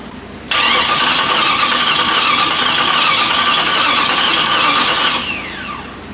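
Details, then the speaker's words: Jeep TJ swapped to a Chrysler 318 V8 with an AW4 transmission. The starter whirs steadily about five seconds and the engine never fires: the computer was fed from a key-on HVAC wire that cuts out during cranking. "I was struggling to find a wire inside the cab that come on with a key finally I found one that was for the uh HVAC like the heater and all that stuff turns out when you're cranking it it turns all the HVAC off"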